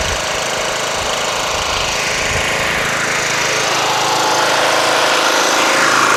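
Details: Toro Wheel Horse 1238XL lawn tractor after carburetor replacement, gas tank cleaning and jumping the solenoid: small single runs at steady fast clatter about four beats a second, no surging or dying; running properly.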